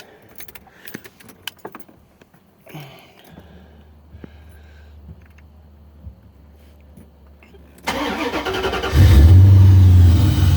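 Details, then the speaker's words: 1990 Corvette with an L98 engine fitted with an LT1 intake, sensors and fuel lines reconnected and the pressure regulator bracket modified: the starter turns briefly, it catches at once and settles to a steady low idle, a normal healthy start. "But she runs really well. I'll crank it up real quick."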